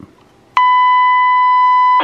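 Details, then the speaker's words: Midland Ready Rescue radio dated May 1982, after replacing a failed LM324 op-amp with a new LM348: with the signal fed straight into the mic input, a clean, steady roughly 1 kHz beep holds, so the radio now transmits audio properly. "there we go so we're just feeding the signal in straight to um mic input so it was the uh lm324"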